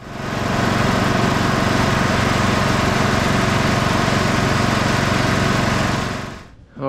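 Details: Cub Cadet lawn tractor with Kohler single-cylinder engine, revived after sitting a few years, run up to check stator charging: steady, even throttle with a regular firing beat, then shut off. Normal, healthy running.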